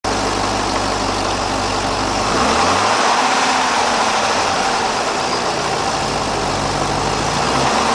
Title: rod knock #3